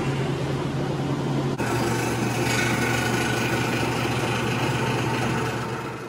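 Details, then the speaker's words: Maytag washing machine after repair, cleaned out with compressor and shop vac and reassembled: steady low hum and even swishing, no squeal at all; it sounds healthy, squeak fixed. "And there's no squeal in this guy anymore, so I'm excited to get it inside and give it a test. Let's do that. Fixed it. No more squeak."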